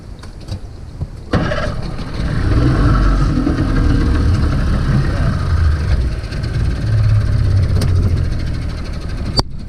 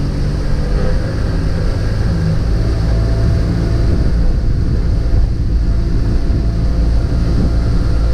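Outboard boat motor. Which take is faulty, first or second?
first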